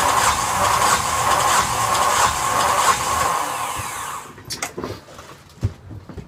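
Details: Yanmar SB12 marine diesel after fuel line repair and repeated bleeding, at about 41°F: steady cranking chug for about four seconds, then cuts out without catching; cranks but won't start, cause suspected, not confirmed.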